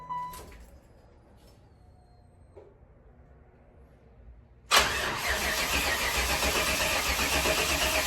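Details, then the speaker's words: Hearse with newly finished exhaust and frame-notched tailpipes, first start in a year: quiet, then it fires at once into a steady, even idle with a deep rumble; new mufflers not yet broken in. Normal start and idle. "Oh, guys, I cannot tell you how good that feels to hear this thing run. I mean, just, oh. And it sounds good. She's got some rumble to her."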